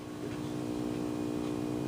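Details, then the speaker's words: 1931 Airline 62-14 radio, close to the speaker, which had previously produced no sound at all: steady low hum with evenly spaced tones suddenly appears, which the speaker says "fixed itself"; likely intermittent fault. "there is a hum coming out of it hear it well that wasn't that was not there yesterday it was not there this morning"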